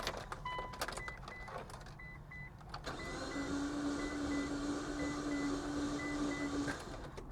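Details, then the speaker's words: Mitsubishi Spyder with 77,256 miles, driven only about 400 miles in three years after long sitting: starter whirs evenly about four seconds over a warning chime, never catches. Owner suspects a compression problem. Cause unconfirmed. "Uh-oh. That doesn't sound good. That really does not sound [Music] good."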